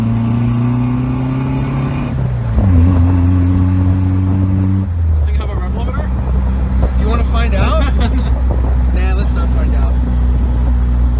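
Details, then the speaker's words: 1989 Jeep YJ 2.5L four-cylinder with single-chamber Flowmaster exhaust, driving after crank position sensor replacement: uneven stumbling exhaust beat under load through gears; intermittent misfire not fixed, ignition control module behind coil suspected. "so we're driving it around right now to see if we fix the misfire misfire we'll see that did not fix the issue and you guys can hear it"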